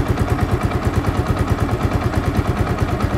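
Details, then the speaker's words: Yamaha Vixion that would not idle and kept stalling, after idle screw raised again: steady single-cylinder thump at about three beats a second, even with no stalling or surging; idle now holds properly. "nah dan ini mematikan kita tinggikan lagi nah kayak segini cukup biar dia bisa langsam"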